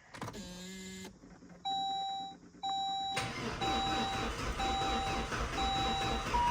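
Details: Crisp electronic chime repeating about once a second while a turbo car cranks without starting after engine work, new CPS and O-rings; owner suspects a security/immobilizer issue, not confirmed.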